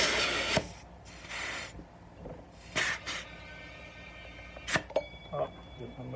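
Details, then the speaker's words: Motorcycle tubeless tire being inflated to seat the beads: air hisses in bursts, then two sharp pops as the beads snap onto the rim; tire beads seated properly. "t's where it's starting to seal, and then the air pressure is gonna pop it out and snap it up on there. So we're gonna listen for like two popping noises."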